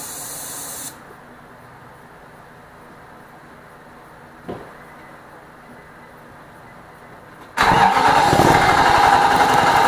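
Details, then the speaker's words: 2006 Nissan Armada 5.6 V8 after an engine swap, cold: the starter spins at an even rhythm of about three beats a second but the engine never catches. Fuel pressure is present; a crank-no-start. "something's not right. So I'm gonna have to do some digging and see what the problem could be."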